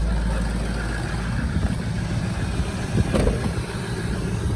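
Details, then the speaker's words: 2004 Ford F350 6.0 Powerstroke diesel with 311,000 miles, stock exhaust and ZF6 transmission, idling after starting easily from two weeks sitting. Deep, steady diesel rumble with even clatter, no misses or knocks, some handling noise nearby. Healthy idle. "So people who want to talk trash about the 6-liter, you know, talk trash about that. 311 miles and still starts up like a top."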